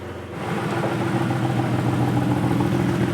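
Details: Ford Falcon drift car, petrol, revving: fast, uneven puffing tick over the exhaust note; exhaust leak, one gasket leak fixed at the front, a second leak then discovered.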